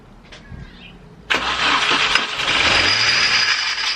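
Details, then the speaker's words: Mini Cooper R53 JCW, first start after clutch safety switch reconnected: engine fires and a loud harsh grinding screech rides over the idle; the crooked-looking idler pulley had a failed bearing. "so after we started the car we clearly went straight to the pulleys to see what that noise was coming from that was god-awful and we pulled off the idler pulley because it looked crooked"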